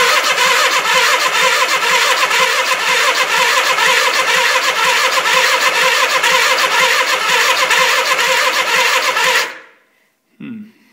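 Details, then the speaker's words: 1979 Suzuki GS425L, first start attempt after carb rebuild, fresh gas, partly charged battery, on choke: steady cranking about two strokes a second for nine seconds, never catching; crank no start. "let's see it's not really doing much let's uh put this back on run see if that helps anything"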